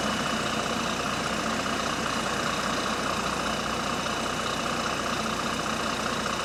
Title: Exhaust Leak | GAL WVN49 On Bus Route 89 (Spot + 13)